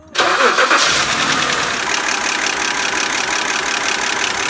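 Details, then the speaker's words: BMW E90 325xi with N52 engine: cranks and settles to an even idle with a fast light top-end ticking, attributed to worn exhaust camshaft and its bearing bed, typical around 100–150,000 km; camshaft later replaced. "Nous entendons l'arbre à cames et secouons le jeu dans l'ensemble."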